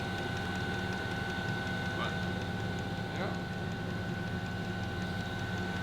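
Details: Diesel heater newly installed in a Dodge Journey conversion van, running as it dies down: steady soft fan whoosh with faint high tone and light fuel-pump ticks; normal running.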